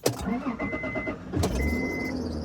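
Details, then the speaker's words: Fox-body Ford Mustang started on a hot day, starting needs finesse with the key: engine cranks and catches, then a thin high squeak comes and goes over the idle; source of the squeal unknown. "when i start the car it makes the most craziest noise that i've heard from a car um yeah it's really a finesse thing with the key"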